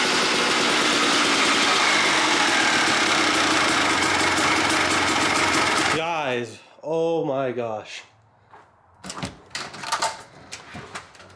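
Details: 1997 Suzuki RM250 two-stroke, abandoned, on its first run with the choke on: crackling, buzzy revving for several seconds then cutting away, very smoky, sounding rich and choked rather than clean.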